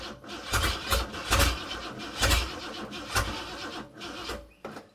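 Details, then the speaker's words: Car fitted with a free used carburetor from the dump: slow, uneven cranking bursts about seventy a minute on weak batteries, engine never catches; carburetor flooded, owner suspects bad floats as fuel pours out. "On top of the batteries not being that good, I definitely flooded the crap out of it."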